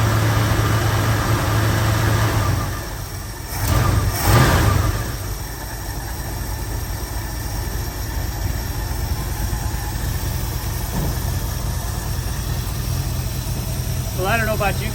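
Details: 1972 Ford Ranchero 500 V8, first start after about two and a half months sitting, new fuel pump, tank flushed, fresh fuel: catches and settles into lumpy idle with uneven beat and brief rev blip; miss present.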